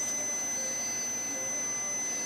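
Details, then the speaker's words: 2005 Pontiac Grand Prix, ABS codes C0041/C0245, ABS sensor wire at cracked loom: meter's continuity tone holds, then wavers and drops out when the harness is stretched, confirming a broken wire to be cut and repaired. "going to pull on it, and you see it goes up, starts, beeper's not constant, goes out of limits, comes back as soon as I let some pressure off."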